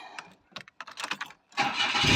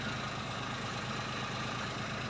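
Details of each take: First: 2003/04 Daewoo Matiz (Chevrolet Spark) at startup before the muffler tape repair: the engine fires into a loud, harsh, raspy roar. Holes are blown through the muffler and old flex tape; owner suspects the exhaust overheated after the water pump failed. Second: 2003/04 Daewoo Matiz (Chevrolet Spark), idling about 20 minutes after a temporary muffler repair with a soda-can patch and JB Weld muffler tape: steady, even idle with no puffing, rasp or leak chatter; sounds far better than before.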